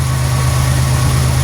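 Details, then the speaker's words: 1991 Buick LeSabre idling after cam sensor work for code 41: deep, steady hum with no misses or knocks, idle drifting slightly as the computer runs its systems test; a normal, healthy idle. "Sounds just fine. You might hear the idle change up and down a little bit. That's the computer doing its systems test."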